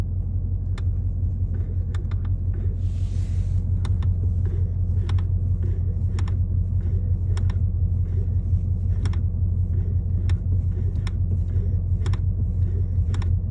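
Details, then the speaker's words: 2024 Ford Mustang GT, about 3k miles, cabin under dash: sharp click with each brake pedal press and release, louder the longer it's driven; brake pedal assembly mechanism clicking, VIN not in recall, cause unconfirmed. "You can kind of hear that under the dash area, and the sound that I'm hearing, which is like a click from the mechanism, like the pedal mechanism itself. Every time you push the brakes and let go, push it, let go, push it, let go."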